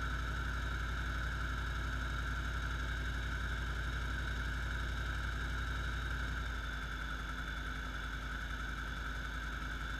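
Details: 2008 Jeep Grand Cherokee SRT8 with Vortech supercharger, in drive under load at 1200–1800 rpm: light regular tick about four per second, louder underneath than under the hood, gone in park or neutral; source unknown.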